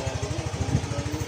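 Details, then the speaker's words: New Yamaha Mio i 125 scooter idling after its first CVT cleaning, with a new carbon pan cover and heat guard: smooth, regular low idle thump at about eleven beats a second, no grinding or rattle from the drive; quiet and healthy. "Linis panggilid, okay na rin, may cleaning na ulit, may tahimik na tahimik."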